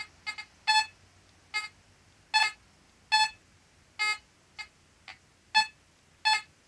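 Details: Fisher F44 metal detector giving short tonal beeps irregularly, about two dozen a minute with no target. False chatter, EMI suspected, not confirmed.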